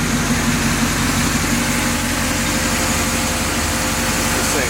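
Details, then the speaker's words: 1966 Chevy C-10 with a new distributor and new throttle bearing: a steady, loud, even V8 idle with no misses or knocks. It runs good, though the idle reads a wrong 1600 RPM and the bearing makes a faint noise. "She runs good."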